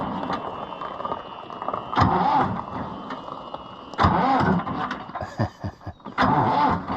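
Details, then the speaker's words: International IH 584 diesel tractor: cranks in short bursts about every two seconds, then begins to fire and catch. "because it'll take a lot of cranking probably to get it to take off see what it'll do now"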